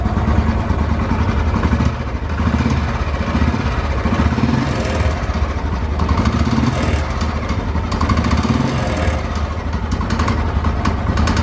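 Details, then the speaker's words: Old-model single-cylinder motorcycle engine idling, recorded close up, after a new carburetor fixed hard starting: a sharp, regular ticking clatter over the low thump, traced to the head/block area, needing teardown. "तो इस काम के लिए मेरे को खोलना पड़ेगा इसका हेड और ब्लॉक, क्योंकि जो साउंड है वो इस जगह से आ रही है, यहीं से वो साउंड है।"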